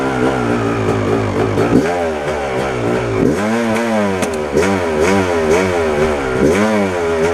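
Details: 1997 Yamaha YZ250 two-stroke, warm, clutch in, eighth to quarter throttle: revs wander and surge with ragged popping note instead of pulling cleanly; sputter cause unconfirmed, owner suspects crank seal or throttle adjustment.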